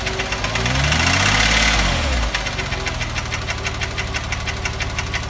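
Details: 2006 Porsche 997 3.8 flat-six: after a throttle blip it settles into steady tapping about three per second at idle; suspected piston slap or hydraulic lifter, cause not confirmed.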